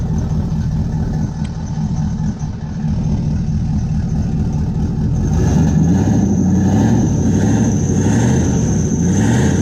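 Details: Turbo LS V8 Camaro at its first start after the turbo was mounted (no cold side yet, oil feed and return rigged): loud, rough V8 rumble; as revs climb, a high turbo whistle rises and holds over the exhaust. Normal running with turbo spool.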